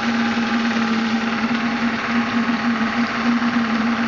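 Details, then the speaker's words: Graupner 5000 gas-fired model steam engine driving a pond water pump, at about two bar, cylinders cleared of condensate: steady hissing chuff with even, constant tone, no knocks or stumbles; good water flow and pressure. "that's better it's running about two bars condensates cleared from these little cylinders it's really flowing now"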